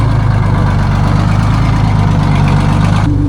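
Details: Detroit Diesel 6-71 two-stroke in a vintage cabover semi, first start after sitting, building air: settles into a deep, even idle with a steady low drone and no misses or knocks; running healthy.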